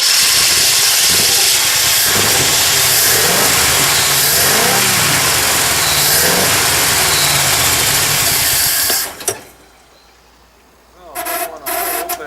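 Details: 1970 Chevrolet Impala, dual-point distributor after gapping one closed point set, dwell meter hooked up. Catches and runs rough several seconds, dies, then brief sputtering refire; won't keep running, owner suspects timing is off.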